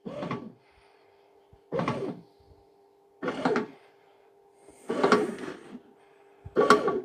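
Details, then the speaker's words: Charity-shop bread maker powered up via an appliance tester on the basic (mixing) setting: soft churning bursts about every 1.5 seconds over a low steady motor hum; the kneading runs normally, though the owner is unsure the element heats. "okay well that sounds like it's working to me"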